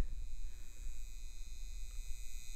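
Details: New LED bulbs on an old dimmer switch at maximum, mic right at the bulbs: steady high-pitched buzzing whine with a low hum beneath; old dimmer is incompatible with LEDs, fix is an LED-compatible dimmer.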